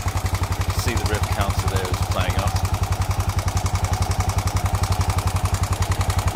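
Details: Honda XBR 500 single idling at 1300 rpm after resetting valve clearances (intake 0.10 to 0.15 mm, exhaust 0.12 to 0.19 mm), which cured stalling; fast even tapping keeping pace with each cycle, from excessive exhaust valve lash; owner plans to return exhaust to 0.15.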